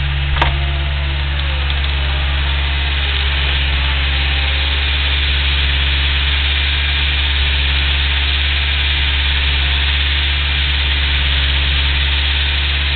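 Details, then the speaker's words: Engine held near 2000 rpm: light ticking over the drone, fading near 800 rpm; once warmed up it is audible even at 1000 rpm, cause unknown. "It's ticking pretty bad. If you can't hear it, I don't know what to say."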